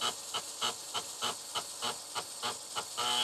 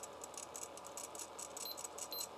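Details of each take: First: TRS-80 Color Computer 1 floppy drive, stepper motor freshly lubricated, ImageDisk clean-head routine: quick even chirping clicks, about a hundred per minute, as the head seeks back and forth; stepping cleanly, sounds healthy. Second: TRS-80 Color Computer 1 floppy drive reading an unformatted-for-PC disk during align-heads test, correct rpm per sticker: faint harsh rattling bursts about four a second; reads properly but sounds terrible, owner suspects top bearing.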